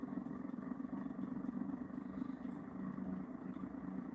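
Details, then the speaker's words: Pulse motor with cube rotor (alternating N/S), dual drive, 180 circuit with an extra coil, on a 12 V battery: much lower, deeper steady hum with fast even pulsing, no knocks; normal running. "So you notice how that one is a much lower, deeper. That's because it's the 180 circuits. It's because there's an extra coil in there."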